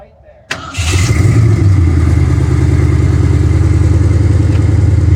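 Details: Ford Fox-body Mustang, third start attempt after fitting a new Motorcraft starter solenoid: starter whir, then the engine catches and settles into an even, steady rumble of about four beats a second. It runs healthy.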